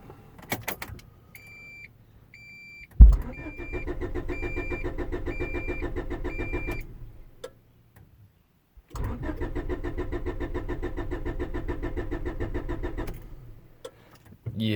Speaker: okay so I got a 92 Honda Accord LX and it's been rainy today and uh I've been trying to leave and the car won't start but it does this on cold days or rainy days or days like this and it'll do this